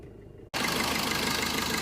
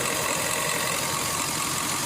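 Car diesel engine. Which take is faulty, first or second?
second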